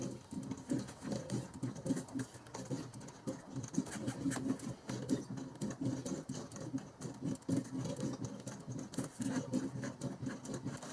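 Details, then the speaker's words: 1997-03 Ford F-150 5.4L 2V after water pump replacement, first fill with Ford Gold coolant and distilled water, engine off: squeezing hoses produces irregular wet gurgling and soft popping, trapped air pockets being pushed out of the cooling system. "squeezing the hose you're forcing the air bubbles to come out before you even start this engine"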